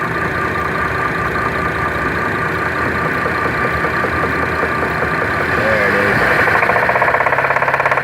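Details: Chevrolet Traverse engine at idle: light, fairly quick tapping knock riding over the idle, about three per second; engine knock, cause unknown.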